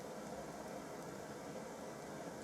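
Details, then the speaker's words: A 1950s Burmos pressure stove, a Primus copy, roars with a steady, even hiss while cooking a square sausage, with no sputter, surging or popping. Normal burner roar. "I hope you're picking this up and you're not just, the microphone's not just picking up the burner, because it is quite a noisy thing."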